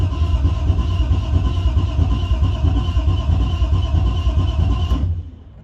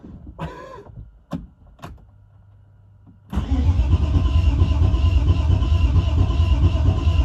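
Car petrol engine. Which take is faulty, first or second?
second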